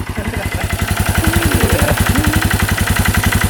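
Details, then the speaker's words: 1989 Yamaha Big Bear 350 4x4 ATV single-cylinder, after new cam chain (old one skipping timing, really noisy): even regular thumping, steady pitch, no clatter or ticking; normal idle, sounds very good now. "sounds pretty good the new cam chain must have worked yeah sounds very good it was really noisy before"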